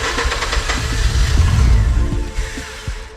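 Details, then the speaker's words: Mazda RX-8 rotary, not started in a while: rough, uneven cranking that sputters as if about to catch but never runs on its own, heavy smoke; cranks but no start. "Probably again, people saying, stop touching the accelerator. Of Just. course, it's not starting."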